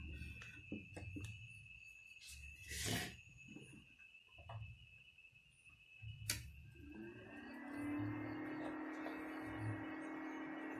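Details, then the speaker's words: Benz BZ 8914 MMA-120A IGBT welding machine cooling fan after modification with a DC-DC step-down converter from 24V to about 12V: after handling knocks, fan spins to a soft steady low whir, no rattle; much quieter than stock. "kipasnya sudah nyala Pelan sekali ya untuk anginnya juga lumayan masih kencang untuk suaranya ini sangat pelan ya"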